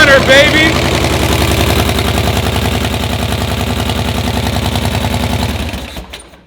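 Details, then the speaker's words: First fire of a newly built custom chopper V-twin after oil was confirmed and the petrol petcock opened; it starts right up into a loping, uneven-beat idle, runs cleanly, then shuts off; normal first start. "hell yeah that's the first fire oh that hurt oh that hurt my stomach a little bit whoa [ __ ] we got a [ __ ] Runner"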